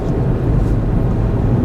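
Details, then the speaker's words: Front-wheel-drive car driven with the steering wheel at full lock in each direction, checking the axle joints; smooth low rumble with no clicking or popping. No CV joint clicking. "if you turn the steering wheel as far as it'll go on a front-wheel drive they'll click well they'll click or pop um this one didn't do it"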